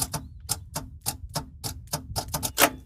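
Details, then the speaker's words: Roughly 1975 Dodge pickup with 360 small block, long abandoned, trying to run without the carb: sharp dry clicks about four per second with no cranking; suspected failed starter or bad connection; starter clicking, no crank. "starter motor went out or we got a bad connection you wrecked my remote starter"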